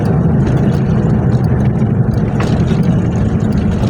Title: 1995 hilux ln106 3L beautiful diesel clattering sounds during acceleration